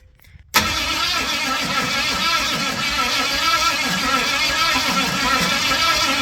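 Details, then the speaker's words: Ford 460 big-block, formerly rust-seized, from an RV, after distributor adjustment: steady cranking that never fires; owner rechecks valve motion and number one cylinder. "Damn. I don't know what's going on here. All right, I'm running out of ideas here."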